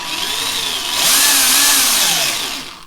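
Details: Tamiya TT01 E drift RC car, just fitted with two new diffs (front one-way) with Tamiya grease on the gear: smooth whirring spin rising and falling with speed, no clicks, grinding or catching; drivetrain turns freely and healthy.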